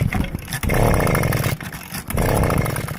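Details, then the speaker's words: Echo PB250LN homeowner-grade blower, throttle lock fully forward, pull-starting: catches in short ragged bursts then dies; compression feels low, clunking from flywheel/piston area on slow pulls; ring or cylinder suspected, later ring replaced. "to start but it just won't go and the compression feels low and when you pull it over slow we've got a rapidly clunking noise coming out of the flywheel area or the piston"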